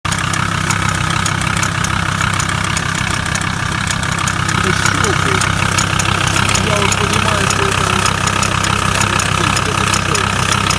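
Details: VW T4 2.5 AXL diesel idling steadily with an extra sharp knock about three times a second; source unclear, possibly near the injection pump, on the right side.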